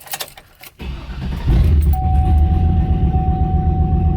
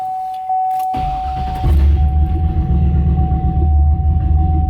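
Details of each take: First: Turbo LS engine on HP Tuners stock file, speed-density idle tuning: after keys rattle, brief crank then clean start into steady, even idle without the earlier stumble; normal start and idle. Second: Turbo LS engine on HP Tuners idle tuning from a stock file, fueling not yet right: cranks, catches, then idle dips and surges unevenly for a few seconds; stumble after start.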